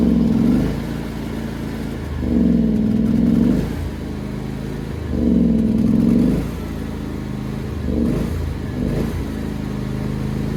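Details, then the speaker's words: John Deere X340 riding mower, intermittent rough running and stalling after a few minutes despite carb rebuild, tank cleaning, new fuel pump, ECM, plugs and fuel filter; engine hunts, surging every few seconds and sagging, kept alive only with choke. "Okay, so just showed it again. And also showed something, that at the end I was basically using the choke to keep it from stalling."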